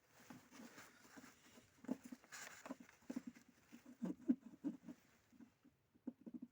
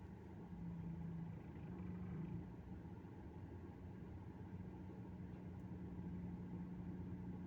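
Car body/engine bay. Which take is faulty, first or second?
first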